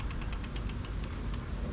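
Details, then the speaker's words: Lectric XP e-bike lifted off the ground, wheel spun freely: quick, light metallic scrapes each turn over a low rumble; brake disc rotor rubbing on the inside of the caliper, fixed by adjusting the brakes. "oh yeah so you could hear it and that's rubbing on the inside oh yeah that's where that's where it is"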